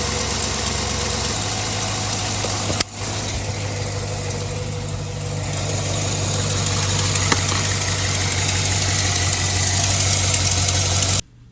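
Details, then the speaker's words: Chevy Suburban V8 started after a radiator replacement: a quick, steady tick about four per second over the idle. This is a worsening driver-side exhaust manifold leak; new manifolds are planned. "but I want to know that you guys hear the exhaust leak on the driver's side it's getting worse it's from the exhaust manifold"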